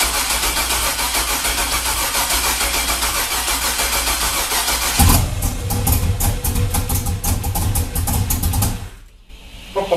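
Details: 2000 Chevrolet Camaro, junkyard 5.3 LS turbocharged, 1000cc injectors, on jump box with dead battery: starter churns in steady rapid rhythm but engine never catches; incorrect manufacturer injector data caused the no-start, later fixed with better data.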